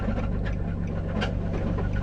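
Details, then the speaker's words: Nissan 350Z engine at 215,000 miles that died on the street: rough, uneven running with heavy thuds pounding under the low engine note; owner suspects a thrown rod or dropped valve, cause unknown, engine to be replaced. "not really sure what happened to it but it sounds like uh i threw a rod or pick up the valve or something to sound like a bunch of cement"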